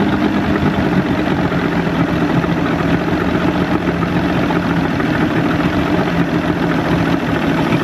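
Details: Evinrude 150hp outboard after VRO delete and double fuel pump install, with a substitute O-ring: steady, even drone holding its pitch with no misses, surging or knocks; running smoothly and healthy.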